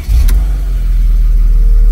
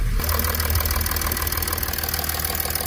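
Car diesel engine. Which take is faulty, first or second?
first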